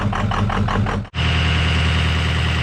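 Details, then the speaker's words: 2003 Ford F350 6.0 PowerStroke diesel just restarted after running out of fuel: catches with uneven surging, nearly dies, then settles into a rough, unhappy idle from air still trapped in the fuel rail. "It's alive. It ain't happy, but it's alive. Very, very unhappy. No telling how much air is still in that fuel rail."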